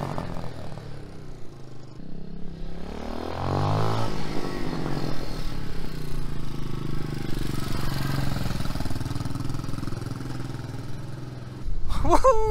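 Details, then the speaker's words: 2021 TaoTao TBR7 229cc single-cylinder dual-sport with rejetted stock carb, warming up: pulls hard and clean, revs rise and fall smoothly with throttle, idling high before idle tuning; runs strong, no misfire. "she's ripping with the new jet baby wow this thing's a beast you can hear it's idling pretty high now so i'm gonna set it down and tune in the idle now that it's warmed up a little bit"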